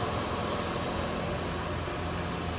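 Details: Ford F150 engine, freshly refilled with oil after draining and primed by cycling the key, idles with a steady, even rumble, no knocks, ticks or misses; smooth healthy idle.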